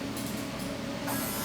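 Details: Mini aluminum jetboat at its first start-up, during the electrical system check: the blower gives a steady, even electric whir with a constant low hum and no rattles or surging. The blower is running normally.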